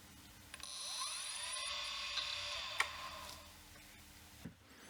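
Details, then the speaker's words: 1989 Acorn A3000 IDE hard drive: whine climbs, holds about a second, then winds down with a tick, cycling up and down; owner suspects a power supply issue, cause unconfirmed. "I think the hard drive failed because when I powered up the hard drive spins and then it stops sometimes it it spins up and down and then it stops and I'm not sure whether it's a power supply issue"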